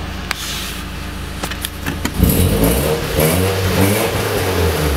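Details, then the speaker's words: Nissan 240SX with KA engine, after fuel filter replacement and ignition timing set to fix bogging: picks up after a couple of seconds and revs up and down smoothly with no hesitation or bog; pulls cleanly and sounds healthy. "it sounds like a ka that's for sure but yeah it doesn't bog anymore I took it for a spin around the block it didn't didn't fog down under load either felt like it had decent power"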